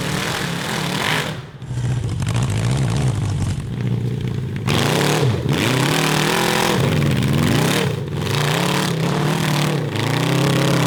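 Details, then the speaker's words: Honda CB750 750cc cross kart on stock carburetors with drilled jets and emulsion tubes: revs climb then repeatedly stumble and sag under heavy throttle above 7,000 rpm; the change made it worse, cause still suspected in carburetion. "crap we made it worse we made it worse"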